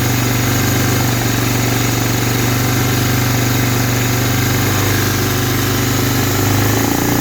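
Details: 1985 Honda Big Red 250ES, first start after carburetor rebuild: steady, even single-cylinder putter at quick idle with no misses, knocks or hunting; settled, healthy running.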